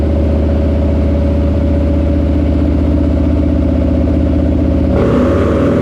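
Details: Harley-Davidson Lowrider S, Milwaukee-Eight 131ci Stage IV kit, stock compression, Cycle-Rama 512 cam replacing Screamin' Eagle 517: full-throttle dyno pull, deep loud V-twin drone climbing smoothly then dropping off at the top; made about 147hp and 149ft-lb, normal.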